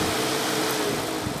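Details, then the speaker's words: Overheating car after replacing blown 30 amp fan fuse: electric cooling fan switches on with even whooshing airflow and steady mid-pitched hum, no rattle or scrape; fan running normally, engine cooling down. "we can hear that fan coming on right now so I think we found our problem there's our fan running and cooling that engine down"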